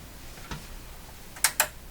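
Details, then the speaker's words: Canadian General Electric Model A55Z two-band radio at first power-up, before refresh: quiet hum, a soft click, then two quick sharp clicks from the on-off power switch. Delayed double click, suspected goop inside the switch; not confirmed. "Ooh, that double click's not good. You hear it again. It's very quick that time. Quick click."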